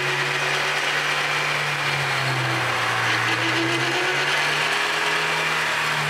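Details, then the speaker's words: Vehicle under acceleration: a low, steady whine that rises and falls with road speed under heavy road hiss, from defective differential drive pinion bearings. "Listen carefully to the whining noise on acceleration. The noise you are hearing is coming from the differential drive pinion bearings."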